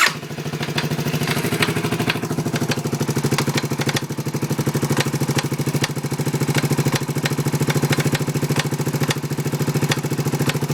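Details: Suzuki Savage single-cylinder motorcycle idling with a sharp irregular knock over the exhaust thump; not cam chain tensioner or decompression solenoid, owner suspects top end — engine knock, cause unknown.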